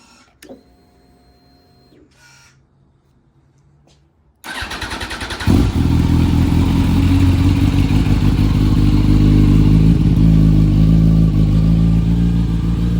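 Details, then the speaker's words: Yamaha R1 rebuilt, first startup after project finished, Power Commander fitted so idle sounds different: cranks, catches cleanly and settles into steady even idle with no knocks; normal start and idle. "this bike does have a Power Commander um so the idle's going to sound a little different but uh it sounds pretty sounds all right"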